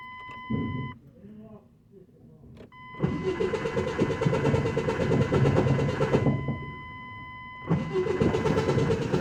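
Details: Truck at starter cranking: harsh uneven grinding rasp over each cranking burst before the engine catches; starter not aligned right, to be remounted with more drilling so bolts tighten and align it.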